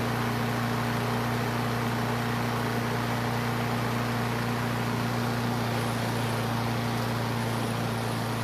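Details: Craftsman self-propelled mower that sat for years and wouldn't start and leaked gas from the air filter, after carburetor seat repair: steady, smooth low hum with no misses, surges or knocks; normal running.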